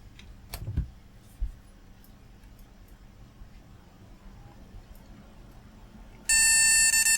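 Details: Flea-market retro PC with an intermittent boot, now fitted with a new CMOS battery. After a short quiet stretch comes a loud, steady, high beep of about a second: the POST code for no graphics card. Bad chip connections are suspected.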